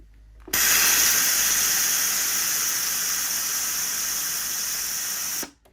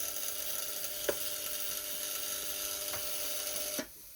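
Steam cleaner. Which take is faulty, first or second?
second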